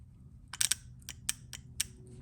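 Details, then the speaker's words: 2007 Audi A8L D3 with P0024 retard setpoint not reached and P0305–P0308 misfires: a known-good VVT solenoid bench-tested with 9 V moves up and down with crisp, solid clicks, unlike the stuck one that only sparks. "and it's hard to see but solenoid is going up and down it's making a nice solid clicking noise"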